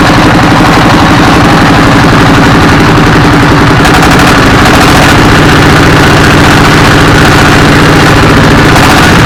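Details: A 24 HP S1115 single-cylinder diesel, after its injector assembly and injection pump were replaced to cure black smoke and hunting, gives a loud, steady knock at about three beats a second with no hunting: normal running.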